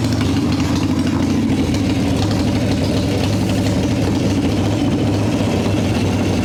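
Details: 1995 Harley Evo Softail V-twin, first start after rebuild: loud uneven idle with lumpy wandering beat, hunting; owner suspects intake air leaks, janky idle screw; rough idle.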